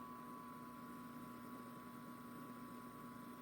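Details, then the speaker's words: 1942 Zenith 7S682 radio-phono record player reassembled with new cartridge and motor plate isolation mounts, running at 45 rpm: quiet, even hum, no wow or knocking, smooth; rubbing underneath noticed right after. "but it's pretty darn smooth."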